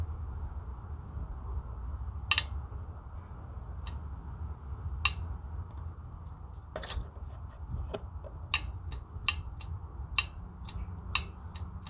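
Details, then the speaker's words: Harbor Freight Predator 670cc V-twin, carburetor fuel shutoff solenoid with 12V on yellow lead: sharp separate clicks each time ground is touched as solenoid opens; working normally. "so when i touch the ground since i already have power going to the yellow lead when i touch the ground you should be able to hear the solenoid kicking"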